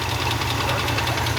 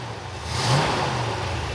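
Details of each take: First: 1969 Ford F-250, believed 390 V8 with 4-speed, restarted after sitting 21 years: fast, light lifter ticking over a rough idle, returning when revved slightly. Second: 1969 Ford F-250 with a 390 V8 (believed) and 4-speed, first start after sitting 21 years, a noisy lifter having come back: quick, smooth rev that settles with no ticking or knocking, quieter than before; normal rev.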